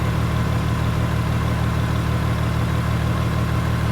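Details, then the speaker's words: Toyota Sienna with 530,000 miles, a Copart van needing a radiator: a steady even low idle with a smooth rhythmic thrum and no skips or stumbles. It runs cleanly without misfire. "Starts fine. It runs well. It's not misfiring or anything."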